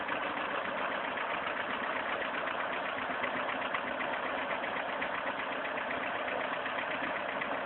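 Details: VAZ-2109 at steady idle: a rapid, uneven knock of roughly four per second, plainly audible over the engine note. Engine knock.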